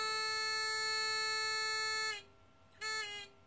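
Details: TX-2003 Chinese generic pinpointer after the range modification: clean, steady high beep held about two seconds, then a short repeat as the target is found again; normal target detection, range now much greater than the previous few millimetres.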